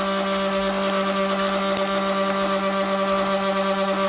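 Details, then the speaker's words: 1945 GPW Jeep original radiator after soldering a neck leak, under pressure test: the cap hums with a faint hiss as it vents excess air out of the vent, and the radiator holds pressure without leaking. "okay you can hear the radiator cap humming away there and it's blowing the excess air out of the vent"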